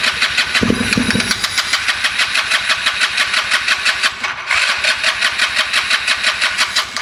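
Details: Polaris RZR 170 sat about 5 years, cranked with choke on after starting fluid in the airbox: starter churns about three turns a second, one brief catch early, then cranks without firing; owner suspects it isn't getting fuel.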